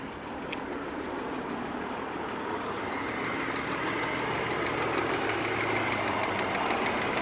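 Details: 2003 BMW E46 330ci manual, steady light tick about three times a second over a smooth petrol idle; tick comes and goes, sometimes from cold start, occasional misfire, persists after new plugs and coils and oil change.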